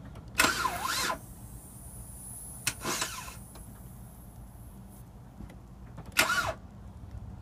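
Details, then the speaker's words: 2005 Kia Sedona, starter replaced two weeks earlier, restarting after being run and shut down, light smoke from positive battery terminal: three bursts of electrical whirring and clicking, engine not turning over. "again what the hell is that it's not turning the engine or something try it"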